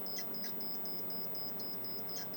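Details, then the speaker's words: Pole Position arcade PCB repair, logic probe on size enable line at 8E pin 3: steady rapid high beeping pulses, about four per second; enable line now toggling, changing as cars get closer. "yeah it's toggling now and you can see how it changes as the cards get closer listen to it a little bit"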